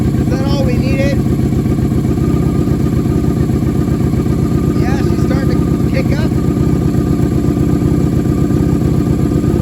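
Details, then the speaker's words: 1987 Honda Super Magna project after new battery and cleaned spark plugs, choke partly on, warming up; started easily, steady even idle with no misses, less smoke than before; now idles on its own, which it never did. "still have some smoke but it's really not as bad as before sounding good that might be what we needed guys you heard how easily she started there turn the choke back a little bit it's actually idling she never did that before"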